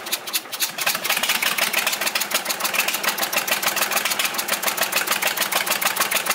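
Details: Volvo 320 tractor with indirect-injection Perkins diesel, first start after repair, valve cover off: rapid sharp puffing ticks about three a second over a rattly idle, gas blowing past an injector seat; resealing the injector fixed it. Injector seat blow-by.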